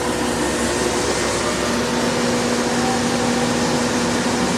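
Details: New grain dryer fans starting up: loud, steady rushing air with a faint even hum underneath and no knocking or rubbing; the fans spin up and run normally.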